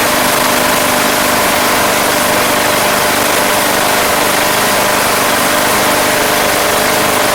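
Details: Craftsman Platinum lawn mower, Briggs 190cc engine, running after a no-start fix with a replacement carburetor: steady, even drone, no surging or hunting; gas was seen from the crankcase vent, yet it runs smooth and healthy.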